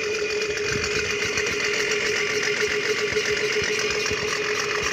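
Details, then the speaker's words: Solar-cell powered water pump that must be primed with water daily or it won't lift water: steady motor hum with light rattle, spins evenly but delivers no water. "เคยเข้ามาปลอกเครื่องอ่านจะมีเสียงเครื่องหมุนอยู่แบบนี้หาหมุนมีเสียงแต่ไม่สามารถสูบน้ำขึ้นได้"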